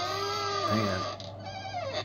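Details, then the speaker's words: Seriously squeaky door in an older house gives two drawn-out, bleating squeals as it swings; settled joists, likely cut for a bathroom vent, load the door eccentrically, adding weight and friction on the brass hinge; lubricant suggested. "so check this out this is a seriously squeaky door"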